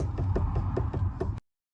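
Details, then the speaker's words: 2013 Toyota Prius Plus: light, quick knocks about five a second over a low rumble, from the steering; fixed by loosening and retightening the lower steering column joint bolt (12 mm). "In this case, I found that the knocking noise was coming from down"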